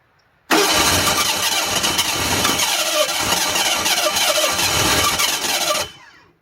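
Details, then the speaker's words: 1985 Ford Bronco II 2.8L with fire-burnt wiring and Duraspark conversion, no timing tab, timing advanced slightly; cranks, catches and sputters unevenly about five seconds then dies, owner unsure whether more or less timing needed. "again I mean that's starting to sound like a motor more timing less timing it's hard to say"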